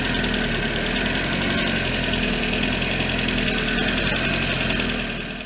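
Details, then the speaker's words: 500€ small petrol car after a drive from Tampere to Vantaa with a fuel leak, warm: loud idle with an uneven lumpy beat that keeps stumbling; rough running, cause unknown. "Mut vielä tota käyntiä niin kuuluu miten se humppaa."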